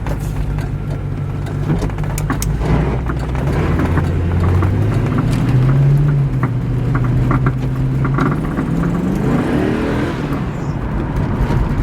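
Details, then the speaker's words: Corvette on its first test drive after new wheel bearings: steady engine drone rising and falling with speed, no bearing growl or hum, only faint rattles and knocks from missing rear bushings; normal driving after wheel bearing replacement. "well I'm pretty happy with that it sounds so much better than it did before obviously there's still some rattles and noises and whatnot but at least we don't have that noise anymore"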